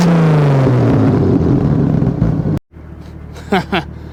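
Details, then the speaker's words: Ford bullnose truck 300 inline six with new two-barrel carb, camera magnet-mounted next to the exhaust pipe: revs up and falls away, then sharp tailpipe pops; backfire seen shooting blue and yellow flame. "I don't think you can see it in the daylight, but last night, according, well, to me and my brother, it was shooting fire."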